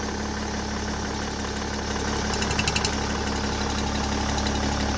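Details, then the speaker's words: BMW M57 diesel at idle with oil filler cap removed, cap lightly bouncing: steady idle with light, quick, even ticking from the vacuum pump, which is normal on the M57; crankcase breather (CCV) check. "To cykanie pochodzi z pompy Vacum, ono jest normalne w M57"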